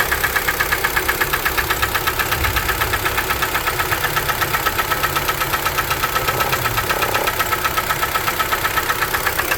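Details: 2012 Kia Forte 2.0L at idle, knock began around 166,000 km and driven about 4,000 km more: sharp, even metallic knock about four times a second; owner suspects piston slap, unconfirmed.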